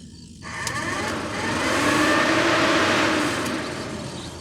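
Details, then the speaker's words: 1985 Merkur XR4Ti radiator cooling fan bench-tested by jumping battery power to it; it spins up to a smooth, even whooshing whir with no grinding, also runs with reversed polarity, so the fan works. "we'll take this blue wire touch it to the power it comes on you can hear it"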